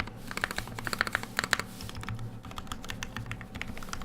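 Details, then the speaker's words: E6 V2 keyboard build with lubed Telio linear switches: quick, even keystrokes with soft, consistent clack, no scratch or ping; smooth, healthy linear switch typing. "Sounds good, feels good because they're Telios."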